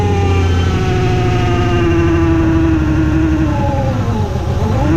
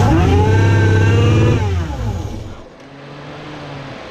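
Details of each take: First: Ford Mustang 3.7 V6 with newly installed supercharger kit, first start: idle with clear high supercharger whine swelling and dipping with revs, instantly audible; normal supercharger whine. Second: Ford Mustang 3.7 V6 with newly fitted supercharger kit, first start: flares to high revs with loud rising then falling supercharger whine, then drops to quieter idle; bystander suspects vacuum issues, cause unclear.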